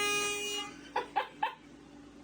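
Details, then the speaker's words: Prank horn mounted under a desk, wired through the wall and powered by a drill battery, heard indoors: steady buzzing tone for about half a second, then a few sharp clicks; the horn works. "I don't know how loud it is in here. Let me open the door real quick and see."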